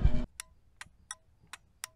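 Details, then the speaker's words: 1986 M1031 CUCV after fixing pinched blinker wires: crisp flasher clicks roughly every 0.4 seconds over a quiet background; turn signals working normally. "Well, you can hear it. Blinkers are blinking."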